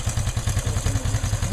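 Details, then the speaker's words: Honda CL360 twin on a cold start with the choke on, after a tank restoration and new fork seals: quick, even firing pulses at a steady fast idle with no knocks or ticks; normal cold idle. "so might as well start it up I guess this is a cold start turn the key on turn the gas on flip the choke up hit the starter button"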